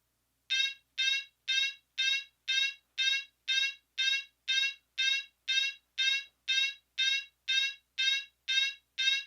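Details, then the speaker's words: Fire alarm sounder set to march time, short rising whoops pulsing evenly about twice per second; sounder working properly. "for this one we're going to be putting it into March time this is something that not a lot of people do with it"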